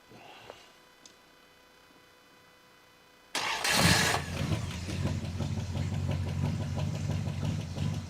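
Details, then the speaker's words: Engine with odometer at 96,000 miles, likely rolled over to about 196,000, starts and idles with a light, fast metallic ticking about four per second, like two quarters tapped together; lifter tick, something in the valve train unhappy. "the motor is making uh a sound like if you took two quarters and you kind of hit them against each other uh here, or just some metal. It's making this noise. That's not a good noise. That means something in the valve train is not happy."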